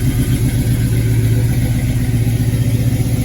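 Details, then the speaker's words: '68 Chevelle wagon LS V8 just fired up on new Holley Terminator X Max EFI: strong even low rumble with steady beat, no misfire or knock; normal running, healthy. "Wow. Holley really does make it that easy, guys. No joke."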